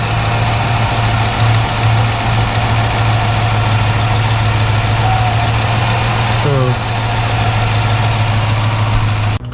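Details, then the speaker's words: Engine idling after the JBA header flanges were flattened, still ticking. A fast, light tick follows engine speed over the idle, from a header flange exhaust leak. The owner suspects a header port shape or tube diameter mismatch with the gasket. "I just hope the other side doesn't all of a sudden you know like it was leaking I just couldn't hear it because this side was so big foreign it's still making that sound unbelievable how is that even possible"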